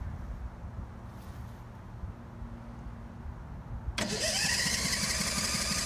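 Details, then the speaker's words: 12kW backup generator started the morning after exhaust repair: quiet background, engine catches at about four seconds and runs steadily, no ticking or puffing; significantly quieter, repair successful. "The microphone on my camera might not allow your ears to hear the significant reduction in decibel volume, but believe me, it was significantly quieter."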